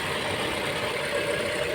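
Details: Mazda 6 at 65,000, after fixing a no-power, no-crank, no-start fault at the steering lock: smooth, even idle with a steady hum and no knocks or misses; the engine runs normally.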